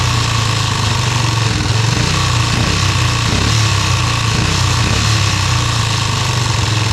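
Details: Yamaha restoration engine idling with brand-new carburetor just installed: loud steady idle with uneven, lumpy beat that never settles; carburetor idle needs adjusting.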